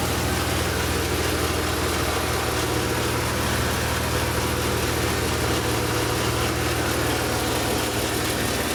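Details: Idle on a BMW M3 E36 with the S50B32 engine: steady even hum with a faint raspy, rattly edge that does not change. Abnormal idle noise, VANOS suspected, cause unconfirmed.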